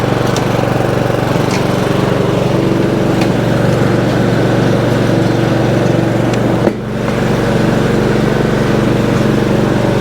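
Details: Craftsman 30-inch riding mower, small single-cylinder engine after cleaning the gummed-up carburetor, started on choke: runs steady and even, a clean fast putter at constant speed with no stumbling or dying; running normally.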